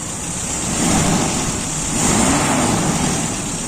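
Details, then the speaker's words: Toyota Kijang 5K after replacing the distributor's centrifugal governor spring, fixing a weak, powerless engine: picks up cleanly from idle, note rising and falling smoothly through two blips with no stumble; normal healthy revving. "mantap nafas Nggak Ada Matinya kayaknya selalu bertenaga"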